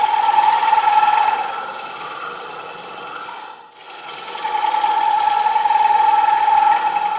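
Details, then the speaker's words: Woodturning lathe turning a shallow themed platter from a 10x10-inch, one-inch-thick piece: steady high buzzing chatter from the tool on the interrupted cut, easing briefly then returning; normally a warning sign. "That chatter would be a warning sign that something's coming out real soon if I wasn't using this. Does that make sense? Normally, you would find that unacceptable to hear that kind of chatter."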